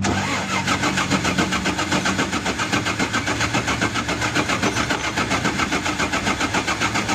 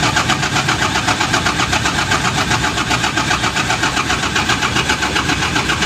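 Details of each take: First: Mitsubishi 6M70 diesel with hard-start problem, after injection pressure pump was removed and recentred on its timing mark; engine catches and settles into an even clatter, firing steadily with no misses, running normally. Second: Mitsubishi Fuso 6M70 diesel after fuel filter housing refit, pressure regulation checked OK: steady rhythmic cranking about four beats a second for seconds without catching; still hard starting, new pressure pump plunger fitted next.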